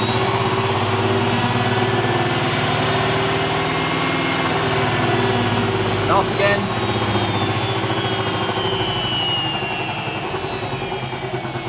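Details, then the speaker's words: Hotpoint HE8L493 washing machine, its 3-phase motor swapped for a universal motor wired directly to mains; as the motor spins down the whine fades over a chunky grinding, suggesting a broken spider or distorted drum, unconfirmed. "So as the motor spins down, you can hear that chunk grinding noise, which suggests that the spider's broken or the drum is somehow distorted inside the plastic tub."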